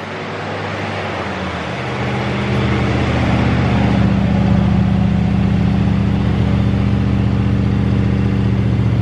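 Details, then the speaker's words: 1970 Chevrolet Chevelle barn find with a big block, first start after long storage on fuel of unknown age: it catches into a fast, fairly even burble that sounds like it is firing on all eight, possibly missing on one cylinder. "I mean, it sounds like it's firing on all eight too. Yeah. Maybe it might be missing on one hole,"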